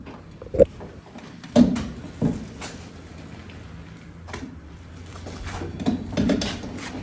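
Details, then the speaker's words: Car rolled slowly out of gear in the garage a few days after its first track day; irregular dry creaks from the rear, first suspected as the diff; loose rear wheel nuts. "in the rotation very inconsistently it makes that sort of creaking noise at first I thought it was the diff"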